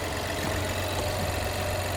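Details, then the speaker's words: Damaged salvage 2021 Chevy Trailblazer LT: small turbo engine idles smoothly with an even low hum, no ticks, knocks or misses; engine sounds perfect; normal idle. "will start they got that engine sounds perfect"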